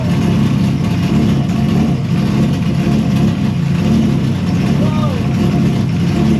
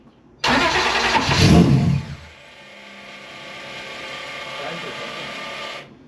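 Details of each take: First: Engine starting after a 3D-printed replacement intake manifold was fitted (previous manifold exploded when power was switched on), fuel pump on: steady, loud, even run with deep rumble and no misses or knocks. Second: Starting attempt after the intake manifold exploded and was reprinted, fuel pump on: starter churns loudly about a second and a half with a few ragged catches, then drops back without the engine picking up; cranks with brief firing, no start.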